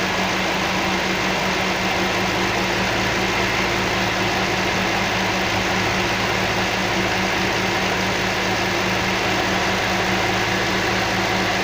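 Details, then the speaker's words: Toyota 3UZ-FE V8 warm at idle after rebuild of both heads and replacing three burnt valves (burnt running on gas), radiator fans running: smooth even idle with steady low hum; healthy, as a V8 should run. "Тут ветер просто от вентиляторов. Вот так должна V8 работать. Никак по-другому."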